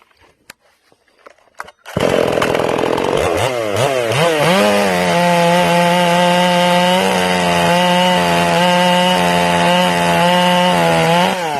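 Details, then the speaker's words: Ported Stihl MS461 chainsaw, new and not broken in, rings not yet seated, high-speed jet turned a further quarter turn rich: starts and revs, then holds wide open with a burbly, uneven warble instead of a clean scream; over-rich high-speed mixture, four-stroking. "Okay, now what I'm going to do is I'm going to richen this saw up, okay? I'm going to take the high jet. I'm going to give it like another quarter turn. I'm going to make this saw really rich so you can hear it."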